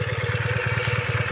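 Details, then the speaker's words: 2017 Ural cT twin after Keihin Gen 2 EFI upgrade, with the exhaust leak fixed and the wrong exhaust replaced so the O2 sensors sit correctly: quick, even idle pulses with no misses, running smooth and clean. "so all that ganging up together i think is going to make a big big difference but it's sounding good now"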